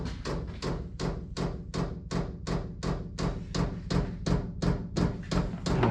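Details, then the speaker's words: Cheap Chinese diesel heater just installed in a 2006 Nissan Frontier, dosing pump priming and running at first start: sharp, very regular loud metallic ticking, nearly three per second, echoing along the fuel line like tapping; pump mounting needs quieting. "that's the pump that's echoing on me i don't need to steal like that that's definitely gonna have to change because that's really loud out here sounds like somebody tapping on the"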